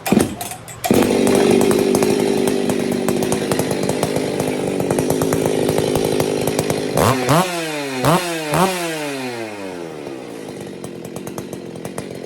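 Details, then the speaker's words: Husqvarna 268XP chainsaw after rebuild, with ported cylinder and ported muffler and the carb lightly tuned, first test fire. Crisp, strong two-stroke run with quick clean blips up and back down, no bogging or misfire; normal running. "Gosh, I love the way 2 Series Huskies sound when they're ported and that muffler's ported. They sit there and they just hit."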